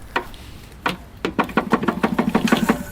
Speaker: This is officially the largest crankshaft play I have ever seen. It knocks so loudly we can't imagine how it was working in its last days.